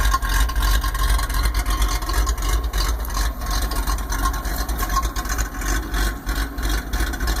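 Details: 1995 Ford F-150: uneven, loping idle with a surging chuff about three times a second, like a big cam, caused by a vacuum leak (Thermactor).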